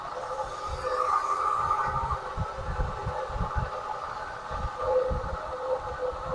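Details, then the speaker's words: 1979 Lincoln Continental idling after a new reproduction Autolite 2-barrel carburettor was fitted and a stuck choke freed: smooth, even idle with a rough, steady growl on top; worn water pump bearing, pump due for replacement. "That water pump sounds miserable. Well, she's smooth as silk now. Other than that noise from the water pump, of course."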